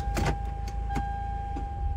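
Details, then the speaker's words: 2006–2011 Lexus RX330 on a jumped low battery after replacing the burnt 140 A fuse that prevented starting: engine starts and runs with a low, even rumble, a steady chime and a couple of light clicks. "let's see the car starts because when the fuse wasn't there or burned it wouldn't start let's put the key in car starts"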